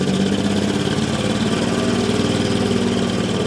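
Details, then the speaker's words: 1969 Land Rover Series 2a six-cylinder project, start-up: uneven, lumpy idle with an irregular exhaust beat, as if one cylinder isn't working; owner suspects one cylinder is out, cause unconfirmed. "a six-cylinder bridge doesn't sound like it sounds like one of them's gone on"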